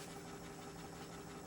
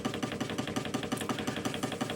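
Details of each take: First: Hegner scroll saw after replacing the worn cam link that caused a rattle: soft motor hum and a faint, even tick from the blade arm, with no knocking; runs quietly and smoothly. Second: Hegner scroll saw running: a fast, even rattle with sharp ticks over the motor hum, coming from a worn cam link bearing and not the motor (finger damping silences it); fixed by replacing the link bearing.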